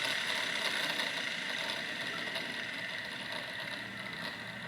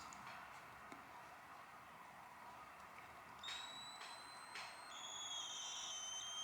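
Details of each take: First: Wilesco T115 steam turbine at about 1.6 bar with drive belt removed: high airy whir and steady whistle fading slowly as the rotor coasts down freely; long spool-down shows very good bearings. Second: Wilesco T115 steam turbine boiler during first heat-up, no pressure indicated yet: thin high whistles wandering in pitch over a quiet hiss, steam escaping from some fitting not tight enough, exact one unseen.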